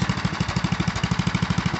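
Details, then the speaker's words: 1974 Sears ST/16 tractor, Briggs and Stratton 8 hp single cylinder, idling after pushing a 1999 Ford Ranger: steady thumping about twelve firings a second, no misses, idle a touch fast; owner may lower the idle screw slightly. "almost sounds like i could idle it down some more i might might do a little tweaking on that uh and that idle screw"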